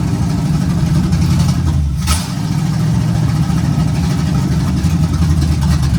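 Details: 1951 GMC 5-window cab-over, first start after a temporary vacuum leak fix and a timing adjustment: deep, steady, even idle with a smooth low rumble and no knocks or misses; engine runs well.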